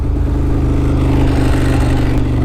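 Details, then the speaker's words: Ducati 992 cc V-twin at idle with clutch lever pulled in: lumpy idle with loose, dry metallic rattle on each beat as the disengaged dry clutch spins; normal dry clutch rattle. "when I get on the clutch you can hear that dry clutch because the the clutch is spinning now and it's not connected"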